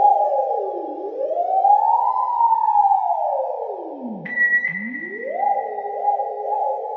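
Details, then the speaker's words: 2002 Fender Vibroverb ('64 reissue) after reverb repair, test tone sweeping: a gliding tone with a springy wash of echo on each sweep. Spring reverb works normally. "Whoa, is that reverberation I hear? Ooh. It's like the best Slayer solo you've ever heard."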